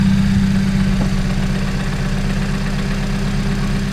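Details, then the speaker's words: Crashed Mini John Cooper Works first started after new battery and a replaced 20 amp fuse, warming up after long disuse: steady, even idle with a faint constant hum, no knocks or misfires; normal idle. "So she starts and the lights work."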